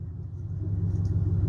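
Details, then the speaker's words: 2000 Chevy Silverado 5.7L V8 with no exhaust fitted, just after a tune-up (plug wires not replaced), idling with a deep, even open-pipe rumble and no dropped pulses; running on all eight and smoother than before. "There we go. She's alive and running and kicking. She is running on all eight."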